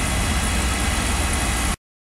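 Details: Beckett oil burner with a CDS cell that kept shutting down, after a repair attempt: a steady, even roar that has run past the lockout period without cutting out. It was later found not running. Runs normally for now.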